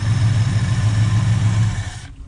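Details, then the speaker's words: 1981 Ford F100 with a 289 V8, first start after fitting an Accel points eliminator to the early distributor: smooth, even low burble for two seconds, then a clean shutoff; it idles well. "There you go. Little old 289. Sounds pretty good."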